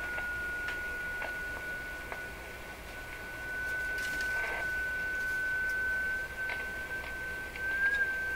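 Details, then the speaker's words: Rogers 11RA651 shortwave radio, all paper capacitors replaced, fed from a signal generator: steady high heterodyne whistle over soft hiss wanders in pitch, creeping upward; the receiver itself is drifting off frequency, heated-capacitor temperature effect under investigation. "Now we'll just listen to the pitch of the tone. If the pitch is changing, which it is, the radio is drifting. It won't be my signal generator that's drifting."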